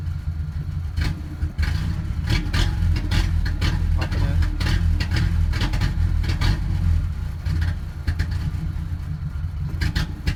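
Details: 1998 Ford Ranger 4-cylinder (two plugs per cylinder), fuel filter just replaced: low, uneven lumpy idle with stumbles while idling and revving a little; owner suspects misfire, cause unclear.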